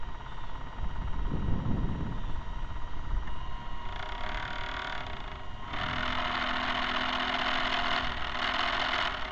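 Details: Camera barge first test run: once the motor spins up, a whining hum with harsh mechanical chatter, caused by the noisy dog-bone motor-shaft couplers, which are to be replaced with flexible hose couplers.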